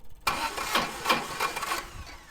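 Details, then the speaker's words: Old air compressor engine, unloaded, just fitted with a new electronic distributor and timed by ear: it kicks and bucks with jerky firing pulses on start. Timing is slightly too advanced, firing before top dead centre, so the distributor gets turned back. "And it's a little bit advanced. It was bucking there. So, it was trying to fire before top dead center."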